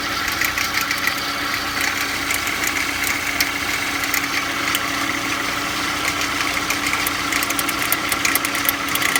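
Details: Unidentified extra noise from the engine at cold idle: steady idle with a faint rapid ticking and scattered sharp clicks over it, cause unclear.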